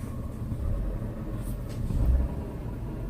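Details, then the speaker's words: 2000 Ford Taurus, 145,000 miles, heard inside cabin with light throttle: low droning rumble, almost like grinding, seeming to come from the dash, pulleys checked fine; vibration carried by broken motor mount contacting metal. "it it almost sounds like something's grinding I checked all the pulleys you can't find nothing"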